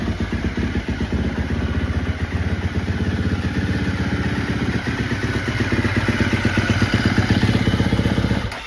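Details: 2017 Husqvarna FC 350 with 126.5 hours and a Rekluse clutch, started cold: single-cylinder thumps at an even fast idle of about four beats a second, steady until shut off. It runs clean.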